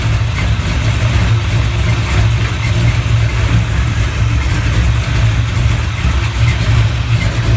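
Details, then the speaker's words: 1970 Chevelle V8 on an old GM points distributor with plugs gapped at .045 instead of .035: very slow, uneven idle with deep irregular pulses, owner estimates 350–400 rpm though tach read high; rough idle. "remember how I said that I didn't have the spark plugs gapped at 35 I have them gapped at 45 and the tack was reading extra high this engine was probably running a 350 400 RPM real real slow"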